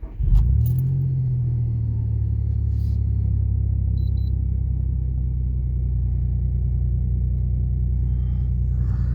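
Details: Nissan M35 Stagea just after an ITSROM ECU install and throttle relearn, with no fault codes, before warm-up and the idle learn: steady, even low rumble with no misses, knocks or surges; a clean, healthy idle.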